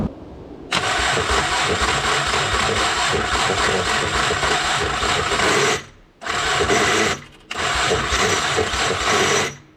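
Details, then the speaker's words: Subaru H6 engine swap, first start attempt with only a minimal harness connected and the fuel pump getting no voltage; harsh, gritty grinding on each long crank with no catch points to a broken starter, which risks damaging the flywheel. "that sounded not so great so something is definitely not right with my starter so i'm gonna start taking that out to see what the hell it's doing before i just destroy my flywheel or something"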